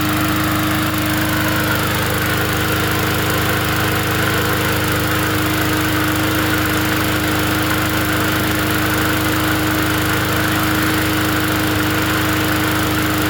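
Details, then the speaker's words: Free 20-inch Bolens push mower from the dump, fixed up to sell: small single-cylinder engine holds a steady, even drone with no misses or knocks; runs healthy and does what it needs to do. "It runs and it does what it needs to do. That's all that matters at the end of the day."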